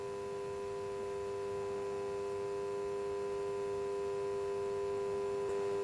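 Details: DIY power supply at 3.3 V with about one amp of load: steady, even hum with a few clean tones from the small internal transformer, constant under load; ordinary transformer hum, nothing wrong.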